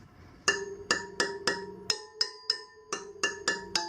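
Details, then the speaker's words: Sur Ron Light Bee wheel spokes tapped after tightening a loose one about a quarter turn: about a dozen sharp taps, each with a clear metallic ping; spoke check during tightening. "that one was like pretty loose yeah once most freely"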